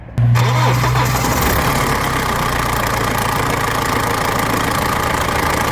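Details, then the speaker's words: BMW 320d N47 diesel, 181,000 miles, startup before upper timing chain tensioner replacement: dry metallic chain rattle for about five seconds of idle before easing; worn upper tensioner. "So hopefully you could hear that for about five or so seconds the chain was rattling."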